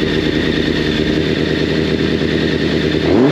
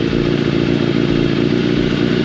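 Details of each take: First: Yamaha FZ750, 1986, carbureted 20-valve inline four, first start after long storage via TOPDON JS1200 jump starter, chokes full on: uneven idle with light ticking clatter, blipped about once a second; valve noise after long storage. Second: Yamaha FZ750 carbureted 20-valve inline four started with battery disconnected using TOPDON JS1200 jump starter in boost mode: even, smooth idle with a quick steady patter, no misses or knocks; normal idle.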